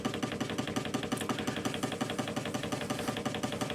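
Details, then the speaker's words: Hegner scroll saw running: a fast, even rattle with sharp ticks over the motor hum, coming from a worn cam link bearing and not the motor (finger damping silences it); fixed by replacing the link bearing. "But as soon as I move my finger off this, it will make the rattling noise again. So that is all coming from that link."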